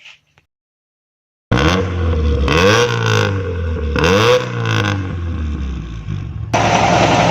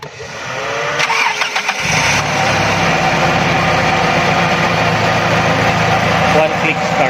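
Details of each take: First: After a quiet start the engine revs up and down cleanly twice, smooth rise and fall with no stumble, sounding healthy; normal revving, in a clip on a secondary diaphragm vacuum leak and a missing choke opener linkage that caused hesitation on acceleration. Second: Carbureted engine cranks and catches, then slightly uneven hunting idle; vacuum leak at carburetor secondary diaphragm, missing choke opener linkage causing hesitation on acceleration.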